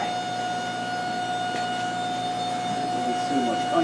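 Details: PVM2000 high-power plasma generator (up to 2000 W, 20-70 kHz) run near 30-35 kHz, power almost all the way up, about 4 A, driving a capacitive corona load: steady high whine, strong pure tone near 700 Hz with overtones; normal discharge noise.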